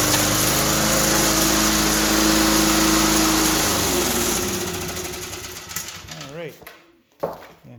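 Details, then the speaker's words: 2004 Cub Cadet Cyclocut mower, Kawasaki 179cc ~5.5hp, cold start after one bulb prime; steady even running, then winds down as it shuts off properly after the stop-lever ground switch tang was adjusted; normal running. "one kind of cool feature about this is that it has a Kawasaki engine it's a little tricky to start up but it does it does fire up pretty nice"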